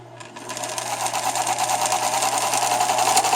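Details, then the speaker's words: Viking 6430 sewing machine after cleaning and oiling (IPA, then Tri-Flow) run at high speed: fast, busy mechanical chatter with a thin metallic ring over the motor; quiet in low gear, cause unknown. "i noticed when i go too high fast and do this and this is what i want to document so this noise what is this noise"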